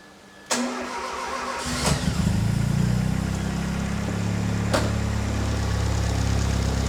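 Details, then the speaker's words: Freshly built Barum Cosworth engine, running in the workshop after warranty work on the cam and pulleys (new cam bolts, retimed, belts tensioned): cranks briefly, catches cleanly and settles into a quiet, smooth idle with no knocks or tapping. "That's very quiet. Quiet enough and Yeah. very smooth. It's smooth. And that is your Barum balancing, It is. isn't it?"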